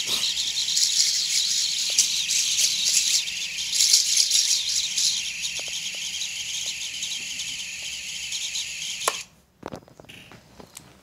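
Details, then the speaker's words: Quadcopter on Betaflight 4.0.2 with Sunrise Cicada 30A F4 all-in-one and reversed props, armed at low throttle after smooth bench spin-up. Motors give a high, gritty, wavering whine with fast flutter and warm quickly; owner suspects vibration needing filter settings. "let me know what settings you think I would I should try to get rid of that it sounds to me like a like a vibration like I need to do something with the filter settings the motors are also getting warm pretty quickly"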